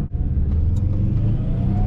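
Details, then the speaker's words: JDM EJ205 two-litre turbo swapped into a Subaru Impreza RS, JDM ECU, three cats, first drive after swap: engine climbs smoothly and steadily under throttle with deep even rumble, no hesitation, linear power and good torque; normal acceleration. "the power is uh it's not laggy at all it has really good torque"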